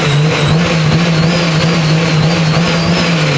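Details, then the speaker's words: Toyota JZX110 Mark II, replacement JZ engine with new turbo manifold: strong, smooth, even note held at high revs, no misfire, rattle or knock; sounds smoother and more JZ-like with the new manifold, healthy. "It sounds different. It sounds more JZ-like now with that manifold. Sounds great."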